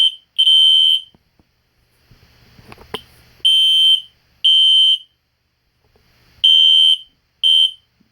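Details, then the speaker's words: System Sensor Spectralert Classic P121575 horn set to temporal code 3 on high volume: loud, shrill blasts in short groups repeating about every three seconds with silent gaps; normal evacuation pattern, very loud. "um that was pretty cool but that is very loud but high volume is really loud"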